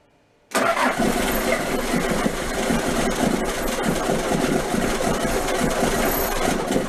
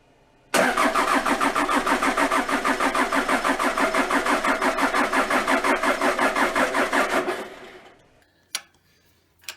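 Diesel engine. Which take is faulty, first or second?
second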